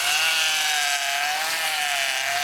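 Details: GM power steering system, full of fluid, whining with the engine running as the wheels are turned side to side: steady high whine holding near one pitch, caused by air in the fluid, before bleeding it using engine vacuum.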